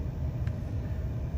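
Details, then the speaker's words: 1997 Mercedes S500 C140 coupe V8 idling in Seattle traffic, good oil pressure: low, smooth, even rumble with no knocks or misses, idling where it should; car is very quiet and accelerates okay. "Car accelerates out okay. It's quiet. You can kind of hear that it is absolutely quiet."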